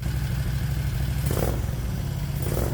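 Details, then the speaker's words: 670cc Predator twin in a 1969 Renault R10, first start after fitting dual 24mm OKO carburetors: steady, even twin-cylinder beat running cleanly but well above normal idle. Idle speed set too high. "well it runs and it runs pretty good the idle is way too high and I want to see if there's any adjustment"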